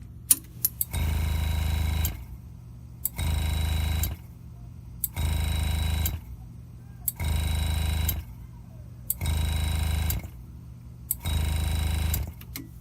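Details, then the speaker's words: Air compressor at about 30 psi feeding a double-head pneumatic engraver (GraverHelper), handpiece 1 selected and leaking air: motor kicks on about a second, stops about a second, repeatedly; short cycling to keep pressure equal with the engraver. "What's happening is the air compressor is trying to stay at an equal pressure with the engraver. The handpiece, set number 1, is leaking air."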